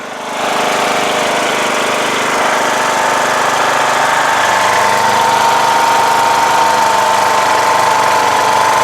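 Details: Rebuilt 17.5 HP Briggs OHV single in a Craftsman LTS1500 lawn tractor, just after a test drive. It holds a fast, steady thump that never settles because it is idling very high; the throttle feels sticky and needs adjustment.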